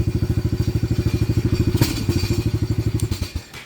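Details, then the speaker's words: Venom 125 quad single-cylinder, just started, old black oil, banging and missing before; plug checked: quick uneven chugging exhaust thumps with a stumble midway before dying down, misfiring. Owner suspects the carburetor or a plugged fuel pump filter, or that it needs to warm up. "good okay so there's something more to it than just a spark plug carburetor maybe again or the fuel pump filter may be [Music] plugged or it just needs to warm up I don't know"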